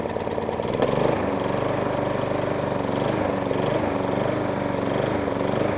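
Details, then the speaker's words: 1.8 Harrier 41 auto drive electric start lawnmower, in only for a pull cord repair and found left on choke, starting and hunting and surging, revs sagging and picking up about every second; running not too shabby otherwise. "Got a bit of a hunt and surge to it. Well, that's not too shabby."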